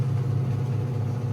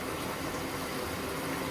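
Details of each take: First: Black & Decker 3.0 portable washer after just over 2 years of use: the fast spin gives a steady low hum, a little louder than when new but still quiet. No knocking or bouncing, slight vibration by touch, none through the floor; normal wear. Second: Black & Decker 3.0 portable washer, over 2 years old: the wash slows and stops, then a soft, steady rush of water fills the tub with no motor noise. It is filling normally for the next stage.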